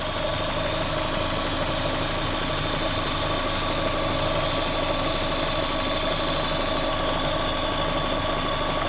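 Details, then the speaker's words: Vauxhall Corsa VXR with replaced engine, bogging on acceleration and engine light on, at idle: steady sharp hiss over even idle from top of engine; vacuum leak traced to cracked cam cover, which was replaced. "Yeah, vacuum leak's gone now. Definitely got a vacuum leak."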